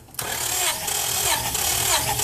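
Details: 2000 Acura 3.2 TL with a misfire after a recent tune-up, compression test: the starter spins the engine at a steady, even cranking pace on a good cylinder reading about 177 psi. Cylinder #2 has no compression.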